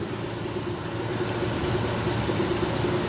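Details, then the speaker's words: Honda 50 hp carbureted outboard, 6-valve, idling untouched at about 1000 rpm on fuel left after the hose is pulled, fan switched on; low, even idle with steady mid hum, no hunting or misses. Earlier misfired and stalled on throttle; carburetors fully cleaned. "Hatta 5 dakika bile çalışabilir. Şöyle fanımı açayım. Motor çalışıyor."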